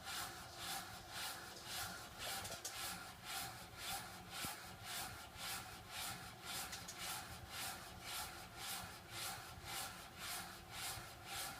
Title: Water restrictor weird noise